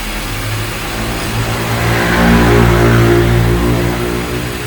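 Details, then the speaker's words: 2013/14 Honda New Civic 2.0 with hard starting: at idle with a slight rise in revs, a rhythmic chatter about four times a second rides on the engine hum; diagnosed as a worn accessory belt tensioner. "tem um barulho aqui a gente já viu que é o tensor da correia de acessórios"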